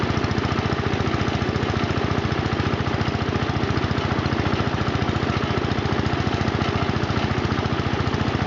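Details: John Deere Model 20 air compressor, pulley-driven off the engine of a 1966 110 garden tractor (max 1000 rpm), filling a replaced tank with an air hose hooked up: steady pumping beat about three to four strokes a second, no knocks; running normally.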